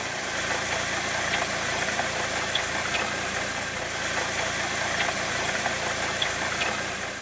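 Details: Chevrolet Cobalt engine at idle before repair: steady dry whir with a few faint, uneven ticks every couple of seconds; owner suspects a failed front pulley bearing or water pump, later replaced along with timing belt and tensioner.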